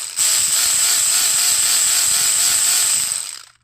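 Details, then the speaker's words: Kyosho Sand Master 2.0 RC car on bench with 3300kv brushless upgrade: high steady whine with a rough catch about four times a second, each time the factory-misshapen spur gear with plastic flashing comes around; damaged spur gear noise. "I think that might be our culprit cuz it seems to be doing it when it gets around to that that spot that's messed up on that spur gear from the factory"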